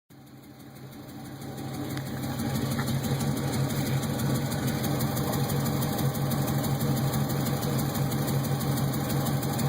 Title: Exhaust leak